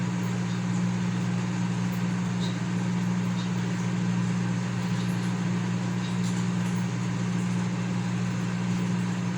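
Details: Consul CM020 20-litre microwave after magnetron replacement (previously loud noise and no heating), heating water for one and a half minutes. Steady low hum, no buzzing, arcing crackle or rattle; normal heating operation.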